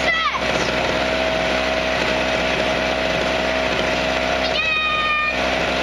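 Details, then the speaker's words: Harbor Freight 900 W peak, 700 W running recreational generator with a 63cc air-cooled two-stroke gas engine, just recoil-started: high-pitched, buzzy drone holding a steady, even tone like a chainsaw under light load; normal running. "it sounds like a [Applause] chainsaw I don't know if you can hear me but Donovan sounds it sounds exactly like a chainsaw I'd have to agree with him it definitely does"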